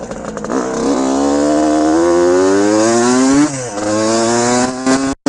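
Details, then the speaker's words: 1974 Suzuki TM125 125cc two-stroke, internals from a later Suzuki RM, ridden in snow: sharp buzzy wail climbing with revs, quick blip off, then pulling clean again under load; strong healthy engine. "Listen to this thing. She's a ripper. 70s TM I've ever ridden. This thing is an absolute hoot."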